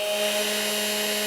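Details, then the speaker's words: Makita XMU04 grass shear after repair of a surging, intermittently dead fault, motor running at 13 volts in a continuous free-speed test: steady, even high motor whine with constant pitch and no rubbing; nothing overheating, around 25–28°C. "so now we have 13 volts so this is uh this is all doable it works continuous duty free speed test run it for uh I don't know 20 minutes see if something will let the Smoke Out"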